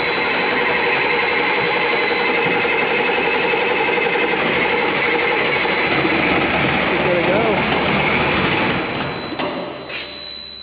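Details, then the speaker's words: Military Mercedes Unimog SEE tractor diesel with a Bosch inline injection pump, sat about 10 years: long steady cranking, roughly four turns a second, with no catch over ten seconds; slow to start. "It's been sitting for about 10 years, so it's going to take a minute."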